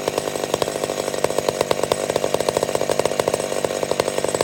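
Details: McCulloch Super Pro 70 chainsaw: steady high-pitched two-stroke buzz with even rapid pulses, no surging or dying off. Normal running; owner suspects it's a tad lean.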